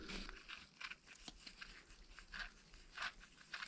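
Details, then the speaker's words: Toyota MR2 Turbo front strut top mount bearing turned by hand, dirty with muck inside: gritty uneven crunching bursts, no play; bearing possibly worn or just dirty, to be cleaned and regreased. "now could be the bearings are gone but it could just be this muck inside i mean it's pretty dirty down there"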